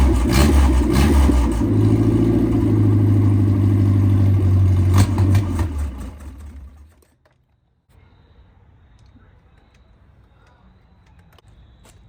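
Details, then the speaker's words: 1987 MerCruiser 3.0 inboard boat engine revived after pickup: rough, lumpy start settles into a steady, even run for several seconds before shutting off; normal running. "and gentlemen, there you have it. The thing runs."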